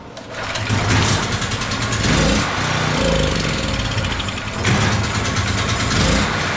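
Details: PowerHorse 4000 W generator, 208cc engine, sat unused and wouldn't run, after fuel system cleaning: catches after a few pulls and settles into a steady, slightly uneven run; now starting and running.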